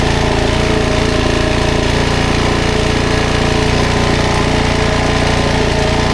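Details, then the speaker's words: 2007 Suzuki DRZ400S, 11,000 miles, after cold start on choke with freshly cleaned carb: steady, even thumping single-cylinder idle with no misses, knocks or hunting; normal, pretty good idle. "Seems like a pretty good idle, right?"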